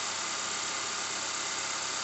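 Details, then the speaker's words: 2013 Honda Accord lifted, in drive with wheel spinning, brakes lightly applied: steady rough metal-to-metal grinding hiss from a bad wheel bearing; symptoms also include loss of power and steering pull. "bad wheel bearing making a weird sound and we got it lifted up this is a 2013 honda accord"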